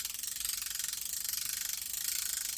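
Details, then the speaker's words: Garcia Mitchell 402 Salt Water vintage fishing reel, fully reassembled and oiled after repair, handle cranked; fine, even clicking at a steady rate with no grinding or catching: normal reel cranking. "okay now it's all together correctly you can crank it you see how it steps"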